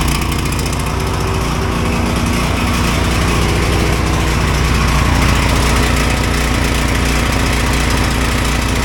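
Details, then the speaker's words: Neighbor's Ryobi generator, used once then stopped; CO sensor said faulty, bypass wiring failed. After rewiring, most CO-sensor wiring disconnected, kill ground kept, small single-cylinder engine runs steady and even, no misses or surging; running properly. "So I got this running. It had a lot of wiring things going on over here."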